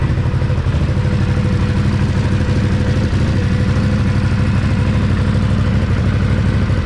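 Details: 2017 Can-Am Outlander 1000 V-twin ATV at about 2,000 miles, started and idling after its first valve adjustment (exhaust .006", intake .004"). The idle is steady and even with no ticking or tapping from the top end; the valves sound right.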